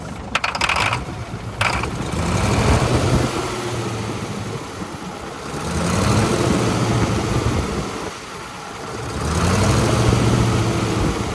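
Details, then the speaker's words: Allis-Chalmers 440 tractor diesel after repair for a loping issue: cranks and catches quickly, settles into a deep, steady idle with slow gentle swells; idles good, normal start and idle. "It It [clears throat] sure started up differently. Start it up real good. And also, like I said, it idles good."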